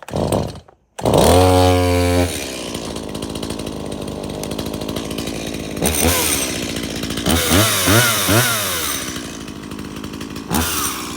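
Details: Stihl MS170 30cc two-stroke chainsaw, unrun for years, after service (fresh fuel, cleared spark arrestor, new bar, air filter and spark plug): fires quickly, revs crisply, then settles to a steady, even idle. Runs healthy.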